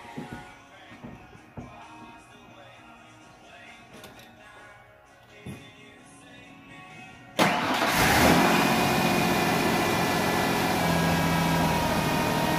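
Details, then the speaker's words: 1997 Ford Ranger 4.0 V6 after new spark plugs and wires: cranks, catches quickly and settles into a smooth, even idle with no misfire or shaking; normal start. "can't let it run for a couple of seconds along these numbers fires which there isn't if there was a misfire you can see the engine shaking back and forth and it's not"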